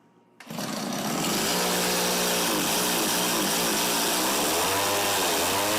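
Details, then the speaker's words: Tecumseh TC300 two-stroke on an Eskimo ice auger, after new piston rings, compression just under 90, idle bumped up; runs high and buzzy, pitch wavering, won't hold idle with choke fully off; possibly carb tuning. "yeah it doesn't like with the choke all the way off it could be a carb tuning issue though too right"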